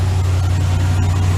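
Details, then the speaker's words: 2015 Ram 3500 5.7 Hemi at idle after repair: misfire on cylinder 5 traced to rodent-chewed injector harness connector, rewired; engine now idles steadily with an even low rumble, no stumble. "plug it in and see how it works all right so she's really good now"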